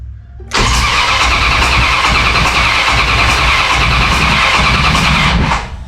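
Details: 1969 Dodge Charger under restoration, first crank test with battery fitted: strong, even starter cranking about 160 pulses a minute for five seconds, never firing, before fuel is poured into the carburettor and the coil hot-wired. Normal cranking, no start.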